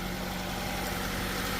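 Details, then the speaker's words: 2003 Nissan Sentra petrol engine idling and shaking with an uneven low rumble from a misfire; unplugging each coil showed one with no change, so that failed ignition coil was diagnosed for replacement. "Y aquí miren, bueno, aquí el asunto está en que tiembla."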